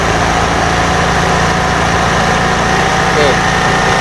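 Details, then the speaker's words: 2017 Beat ESP injection motorcycle that stuttered on initial throttle, after a TPS fix (2.5 V): idles evenly and picks up cleanly on each small throttle blip without stumbling; faulty TPS was the cause. "kita gas dikit-dikit kita lihat dari suaranya saja tuh normal Ya normal"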